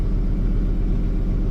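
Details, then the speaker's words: 2003 Ford F-150 V8 after replacing a failed ignition coil with a new NGK coil: deep, even idle rumble, no stumble or skipped beats, smooth on all cylinders; misfire fixed; normal idle. "Yeah, it looks pretty nice. I think now she's finally done. Look at that. Oh, she's smooth."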